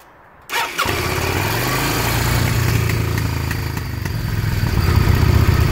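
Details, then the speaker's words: Motorcycle, fuel on, in neutral, on choke: short crank, catches and settles into a steady slightly lumpy idle building on choke; clean normal cold start, choke to be closed once warm. "once it warms up you're gonna want to close that choke"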